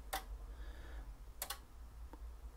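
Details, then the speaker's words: RM Italy BLA350 Plus 300W linear amplifier in manual mode with TX off. Band relays give a few crisp, isolated clicks in a quiet room as modes change. The relays switch normally, and the output relay is not engaged. "the relays are clicking nicely. It's not affecting the output, obviously, because we haven't got the output relay switched on."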